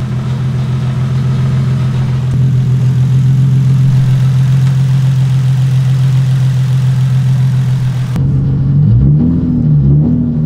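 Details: Nissan Z turbo after new downpipe and exhaust install fixing a bad exhaust leak: steady deep drone from the exhaust that climbs as revs rise, no ticking or puffing; sealed, no exhaust leak, quieter on cold start.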